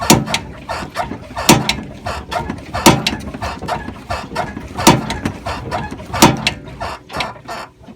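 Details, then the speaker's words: 2003 Chevy Trailblazer 4.2 liter six-cylinder, suspension bounced by hand: sharp loud metallic clunks about once a second from a loose driver-side front sway bar end link, fixed by tightening it. "as you can see that is a very loud noise and as you're driving down the road you hear that man that sounds like it's coming apart"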